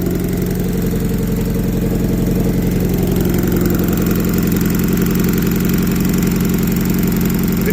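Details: Year 2000 MGF 1.8, mid-engined, abandoned five years, just started on a jump from a running Mercedes, fresh fuel added: steady, even idle with a smooth low beat, no knocks, misses or ticks; healthy-sounding engine with a nice tone.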